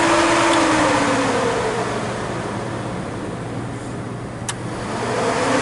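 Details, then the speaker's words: Foxbody Mustang idling as its adjustable electric cooling fan is turned off (being set to about 170, drilled thermostat thought to be 160°): steady low hum, whooshing fan rush fades away, leaving a smooth, even engine; normal idle with fan off. "Yeah, you can hear it. That's off. There's on. I'm gonna turn it up."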